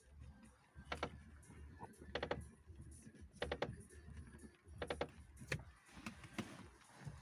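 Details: Lada Priora after hitting a rut: dry crunchy clicks about every 1.5 s when steering right while driving, from the front right strut mount area; strut and top bearing inspected and look fine, cause unclear. Front strut creak when steering.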